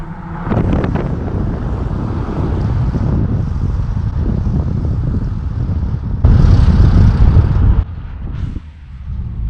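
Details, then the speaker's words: Ram 1500 5.7L before Diablo tune, driving at 20 mph and below when the MDS eco light goes off; deep rumble with loose rolling marbles-like rattle inside the engine; owner blames MDS cylinder deactivation and hopes disabling it removes it. "Whenever that comes off and you're in 20 miles and below, you can hear like marbles inside the engine. I hate that shit."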